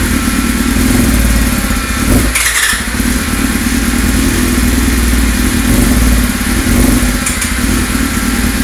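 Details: 1999 Yamaha R6 first start after engine rebuild with new cases, pistons and transmission: crisp, even four-cylinder beat holding steady through a short throttle blip, no knocks or rattles; healthy, normal running.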